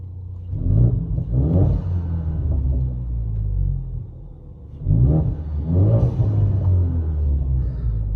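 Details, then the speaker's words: EcoBoost Mustang after the exhaust leak fix, heard from inside the cabin with no mufflers, the resonator kept, and an MBRP 3-inch downpipe with a high-flow cat: two smooth rev blips with no puffing or ticking. No check engine light appeared afterward. "I want to go ahead and get a couple ribs in so you kind of hear what sounds like inside the cabin and this is with no mufflers still have the resonator in the mbrp three inch down pipe with a high flow cat"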